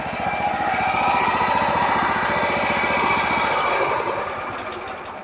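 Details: Toro Wheel Horse 212-5 lawn tractor sat nearly ten years, fresh fuel, on choke: steady, even firing pulses about four per second, then the note eases off; normal cold start.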